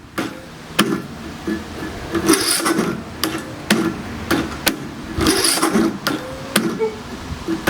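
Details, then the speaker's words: Neglected, never-serviced MTD lawn tractor engine cranking: slow, labored, tough to turn over with heavy catch each compression about once a second, never firing; camshaft suspected bad, broken compression release. "Yeah, I think the camshaft is bad on this one."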